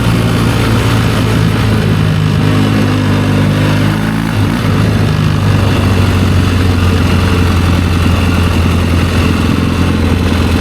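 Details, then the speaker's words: 1972 Triumph Bonneville 650 twin, revived after sitting roughly ten years; after a road ride its steady, even twin beat settles into a clean, smooth idle with no misses or knocks. It runs good. "Yeah, this thing runs good. It's gonna be all right. Super happy with that."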